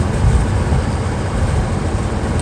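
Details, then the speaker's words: Ford F-150 climbing a mountain in fourth then third gear, unable to pass about 49–50 mph: heavy lumpy rumble with uneven stumbles, pinging, and a miss so bad it shakes the truck despite brand new tires; misfire under load, cause unconfirmed. "I just put brand new tires on it, but it's missing so bad it's actually making it shake. So it's actually not in the tires, because it's got brand new tires on this truck."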